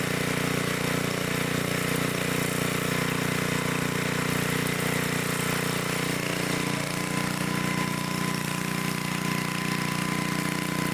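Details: 1972 Dayton 3,000 W electric-start generator, unused for 30 years, reassembled and restarted for an RPM check: a steady, even drone at constant pitch with no misses, knocks or hunting, running smoothly at a fixed speed.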